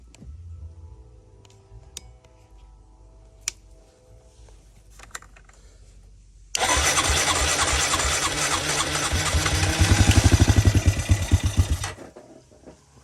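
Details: 2002 Honda Rancher ES ATV, 1,238 miles, sat 12+ years: with gas poured in, it catches hard, revs unevenly about five seconds, then dies when the primed fuel is used up; carburetor not feeding, later cleaned.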